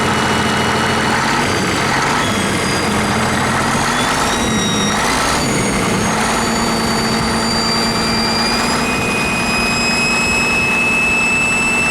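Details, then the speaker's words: 1959 Caterpillar D337F diesel genset, stored in a barn 10 to 12 years, just started and resting at idle (needs the shutdown lever to stop). Clatters into life and settles to a steady, even idle with no misfire or knocking: normal idle. "so we are not able to actually stop it with the throttle right now it's resting at idle we do have to use the shutdown lever"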